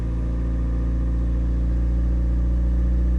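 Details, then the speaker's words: Toyota 3SZ-VE engine, repaired a year earlier for knocking, cold start after a weekend at about -20 to -23°C; oil pressure light goes out at once, low even hum, quiet with no tapping or knocking. "давление сразу погасло Нет тихо работает мотор все отлично слышно только дизель"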